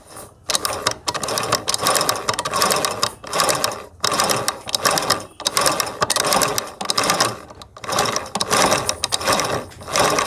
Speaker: यह यह जो आवाज यह दबे हुए आती है जवाब दबता है तो इससे निकलती है थोड़ा सा मशीन भारी मशीनें आ जाता है यह प्रॉब्लम